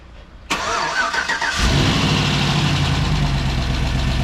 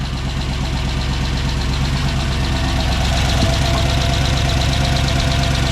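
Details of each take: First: 2007 Chevy Tahoe, first cold start of a rebuilt 5.3 V8 with BTR Truck Torque cam, replacing an engine destroyed by DoD: catches cleanly, steady even idle, no knock or miss; slight exhaust tick from the crossover, burning off residue, normal. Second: 2007 Chevy Tahoe with a rebuilt 5.3 V8 and BTR Truck Torque cam on first start: lumpy cammed idle with a light regular tick at firing rate; exhaust tick from the crossover leaking.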